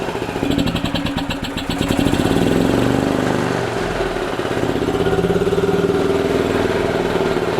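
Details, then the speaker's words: 2008 Yamaha Drive gas golf cart with a strong gas smell while driving, after cleaning trash from the carburettor and refitting the PCV hose: fires quickly, a short rev, then a steady, even single-cylinder putter. No fuel leaks. Normal start and idle. "no joke started right up that's how it's supposed to be"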